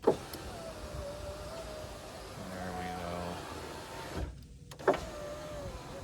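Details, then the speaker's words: 2002 GMC Sierra Z71 SLT driver's door window after replacing the broken regulator with Dorman 740-644. A steady motor whir for about a second, a bit slow but smooth with no grinding. Owner suspects a weakening motor or a track needing grease. "but we work awesome glad to have this fixed and no longer driving with a frozen left ear"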